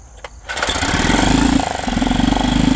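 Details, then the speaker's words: Yamaha 2.5 hp four-stroke outboard after carburetor replacement with aftermarket carb, choke out: starts first pull and settles into an even, steady putter with no misses or surging; normal running. "Not bad for a first time. Started right up first pull. Good aftermarket carburetor, pretty good."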